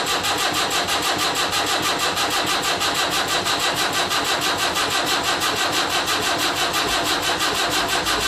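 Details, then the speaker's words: Land Rover Series 3 2¼ diesel, first start after rebuild, injector lines deliberately unbled: a steady, even cranking rhythm of about ninety beats a minute without firing; long crank before first start to build oil pressure. "What that'll do, obviously, it'll then take a while turning over for it to start, which will then help it build up a bit of oil pressure before uh before it actually fires."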